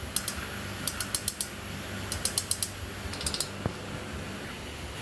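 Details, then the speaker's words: 2008 Honda 400EX engine during teardown, valve clearance measured at 0.007 in on intake and exhaust, too much: sharp light metallic ticks in quick clusters; valve-lash clatter. "So after examining all the intake and the exhaust, it seems that we have 7 thousandths clearance, which is too much. It's 17 millimeter. Just checking it as we go along here. So here's what 7 thousandths clatter sounds"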